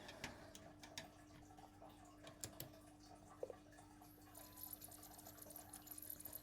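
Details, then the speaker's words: PlayStation 1 SCPH-7502 repair, badly scratched disc: irregular sharp clicks over faint motor hum as the drive struggles to read; a laser drive gear was later found missing teeth. "That sounds bad. That's bad."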